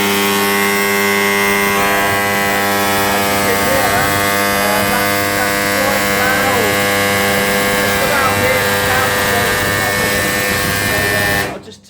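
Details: Homemade high-current transformer from a 700 W microwave oven transformer with a few turns of heavy earth cable (about 2 V output) gives a very loud, steady mains hum until switched off.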